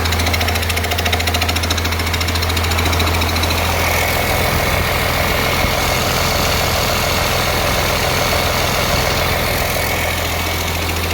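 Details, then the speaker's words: 1948 Ford F6 COE rat rod with 190 HP 5.9 Cummins 6BT (from 1994 Ford F700), P7100 pump, #10 fuel plate, first start-up: steady even diesel idle with loud fast rhythmic air compressor chatter over it. Not smoking much; engine healthy. "take a look at everything and do checks and fire it up again. Loud noise you hear is the air compressor."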